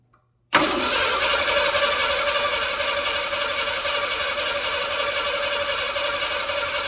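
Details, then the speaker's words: 1987 Ford Bronco II, abandoned 15 years, after swapping the ignition module: the starter cranks steadily at about four turns a second, but the engine never catches. Still no spark; fuel smell present. "Okay, well, at least we know one thing it isn't. So I'm still not getting, I gotta check for spark here again and go from there."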